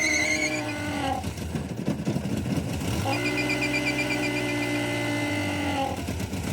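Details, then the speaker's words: Nissan Be-1 running under revs: a loud honking like a vibrating diaphragm that rises and holds with the revs, the valve cover breather sucking air in. "It is the breather. The valve cover breather. It's sucking the air in through that valve cover breather."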